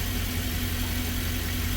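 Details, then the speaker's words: 2013 Ford E150 van, doghouse off, coils swapped: low idle rumble with uneven loping beat, cylinder 1 still misfiring after coil swap; dead cylinder at idle from a melted spark plug. "hello that off for a moment and as you see cylinder 1 is still misfiring"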